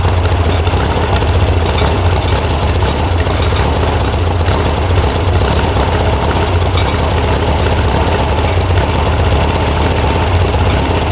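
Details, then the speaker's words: VW air-cooled sand rail (about 1966) after electronic ignition install and firing order fix: uneven, lumpy, wavering idle with a bobble; the carb mixture screws were backed way out and need resetting. "Oh, what's bobbling? But it definitely has a bobble to it. I don't like this."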